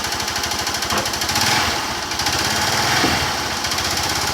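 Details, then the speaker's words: 150cc single-cylinder motorcycle, just over 24,000 km, oil change once overdue then replaced: low idle thumping with a light irregular tap, clearer on small throttle blips; mechanic calls it normal, owner suspects a fault. "é tipo batendo alguma coisa não é um barulho normal da 150 quem conhece a 150 sabe que tá diferente essa batida aí tipo querendo falhar alguma coisa estranha"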